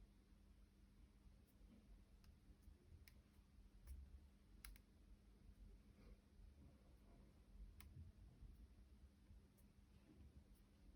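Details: 2-day-old MacBook Pro 14-inch 2021: scattered sharp little clicks and crackles, irregular, when the palm rest is pressed; cause not identified.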